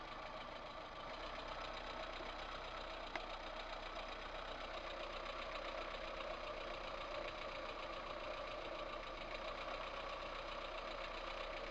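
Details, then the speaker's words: VAZ 2108 1300cc petrol engine at idle: fast, light metallic knocking from the top end. Worn valve guides with large play, apparently letting exhaust gases through, burnt a valve; the camshaft bed was also worn. "так вот расклад и весь вот этот сок от который был двигателя всему этому причина была вот этих разбитых направляющих"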